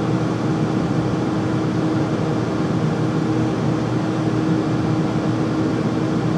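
A steady, loud even rush of air with a faint low hum throughout; furnace running noisily, cause not evident.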